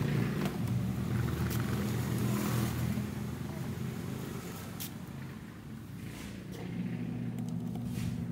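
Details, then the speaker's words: Washing machine running: loud, rough, steady low drone with constant churning while the drum drives; owner complaint of an excessively noisy gear, caused by a worn gear case that needs replacing. "Ang problema ng washing machine niya ay maingay. Masyadong maingay yung gear."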